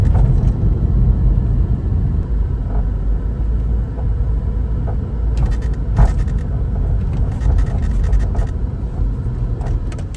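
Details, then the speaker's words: Porsche 986 Boxster driving: low road rumble with scattered hollow clunks over bumps from behind driver and passenger sides, worsening over months; suspected worn rear control arms (tuning forks) or sway bar end links, both replaced. "there was this hollow clanking sound that was emanating from behind the driver and the passenger side"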